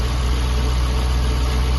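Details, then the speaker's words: Jaguar XK8 V8 stood since 2015, idling on old original petrol in closed garage, new oil and fuel pump: deep, steady, even burble with no knocking or ticking; smooth, healthy idle. "but it sounds great there's no knocking there's no ticking it's I don't know if you can see that but that is idling"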